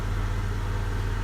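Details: Honda (DC2R) bought with lost immobiliser key, new battery fitted and immobiliser disabled via ECU: first start, steady even low idle with smooth regular beat, no knocks or misses, less rough than expected; normal idle.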